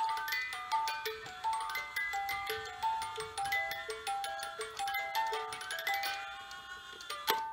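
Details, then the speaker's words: Repaired 1970s Black Forest cuckoo clock, movement cleaned with compressed air and lubricated with WD40, parts re-glued; music box tinkles evenly over a steady tick with pendulum and pine-cone weights running, no drag or stalling; normal music box and ticking. "And all of the parts are glued back on, and the pendulum is swinging, all the chains and the pine cone weights, and it is all 100% working."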